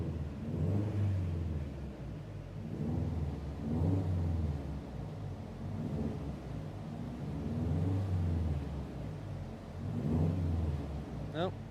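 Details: JDM AVCS EJ205 in a Bugeye Subaru wagon on a dyno pull: a deep drone rising and falling evenly with no knocking, grinding or bearing noise; the power drop at the top end was checked in the log, and the engine sounds clean.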